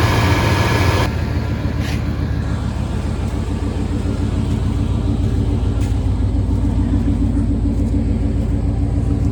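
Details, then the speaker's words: Engine cranked and run right after a water pump replacement (14mm and 13mm bolts): steady, deep, even idle pulsing about twice a second with no knocks or squeals; runs normally. "Alrighty, sounds good."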